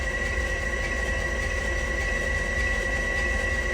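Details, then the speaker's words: Ford 7.3 Powerstroke during injector replacement, glow plugs removed so there is no compression, cranked to prime the high-pressure oil system: a steady, fast, even starter spin with a constant high whine and no firing pulses. "so with this out it's nice to let this crank and turn over to allow the oil to flow through the high pressure system so this way i'll give you you'll hear what it sounds like so you hear nothing because that's just the engine starter full"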